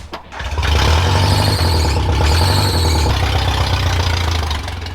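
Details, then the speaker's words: Junk Geo Metro starting up: brief squeal as it catches, then uneven idle with a loud puffing exhaust note from an exhaust leak, plus a rattle the owner doesn't think is normal. "as you guys can hear exhaust it's got an exhaust leak but that's not incredible so far don't think she's supposed to Rattle like that"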